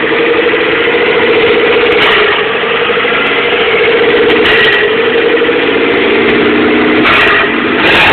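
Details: 1997 GST turbo with EVO III 16g turbo, no downpipe, FIAV bypass, EGR blocked, vapor canister removed: idle surges up and down; cause unknown.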